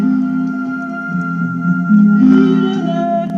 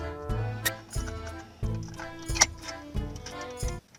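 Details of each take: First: Car radio cassette player playing a tape: music wavers in pitch and sounds very low, dull and distorted; possible causes named include a stretched deck drive belt, deformed pressure roller, or the drive motor. Cassette wow and flutter. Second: Car radio cassette player after repair of fluttering, low, distorted sound, fault traced to the rubber on the tape-drive rotation cylinder, playing at volume 12; music plays at steady pitch and volume with no warble, dragging or dropouts, normal cassette playback.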